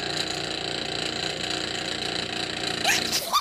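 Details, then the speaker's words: Asahi electric wall fan at low speed: dry, gritty rattle with fast buzzy chatter over the fan hum, likened to a coconut grater; the motor bushing is worn oblong, letting the shaft knock. "Diba? Napakaingay po. Parang gilingan ng kudkuran ng nyog, kumbaga, di ba?"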